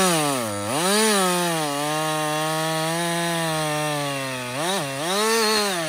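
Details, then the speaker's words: Husqvarna 562XP chainsaw after a dealer reflash of its software recommended by Husqvarna; it used to die when hot, stumble and not start. Cutting wood on the first full tank run without stopping: strong steady high buzz sags briefly as the chain bites, then recovers cleanly. Normal running under load. "so this is a real life scenario right we're cutting we're cutting yeah you keep working this is really the First full tank I've run through this thing like without stopping"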